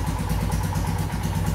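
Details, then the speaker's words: Royal Enfield Himalayan with throttle position sensor set way off: uneven, lumpy single-cylinder idle with hiccups on acceleration; erratic idle from misadjusted TPS. "once you stri starting the bike it should give again a very erratic idling and again some problems some hiccups while you like see again you can hear it is not sounding right and again by like accelerating there is that hiccup"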